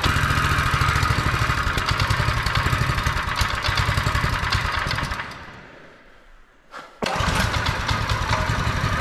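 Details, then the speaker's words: Newly received vehicle, said to need an exhaust, started up: uneven chuffing at about three beats a second that stumbles, nearly dies, then catches; rough running, thought to need a service, cause unconfirmed. "she's a bit quieter than the other thing she needs an exhaust listen to it take it's like Mario Kart"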